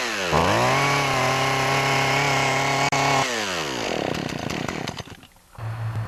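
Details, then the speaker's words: Poulan Pro chainsaw with its original clogged air filter: revs to a held but soggy pitch, then falls to a lumpy, uneven idle. Runs rich as if the choke is on, and idles poorly once warm. "so as you can see see there it runs pretty rich as if the chok's on and when it's warmed up it doesn't really want to idle good"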